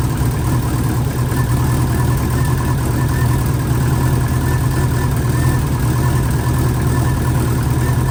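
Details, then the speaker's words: Freshly installed engine in an 04 Subaru, first morning run after filling oil and coolant and bleeding overnight: steady, even low rumble holding one speed with no knocks or misses; smooth idle. A coolant leak was later believed fixed at a cylinder-4 cooling-mod fitting. "oh she's alive as you just saw the uh 04 D Brak is now running"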